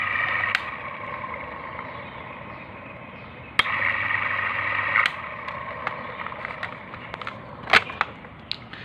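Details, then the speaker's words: Stand fan that had been trying to spin but making noise, after bearing replacement: even whir with low hum and a few loose handling clicks; fan spins smoothly and runs fine. "Yeah, alhamdulillah, it's working fine. Yeah, it's moving also fine. So just I have changed this bearing."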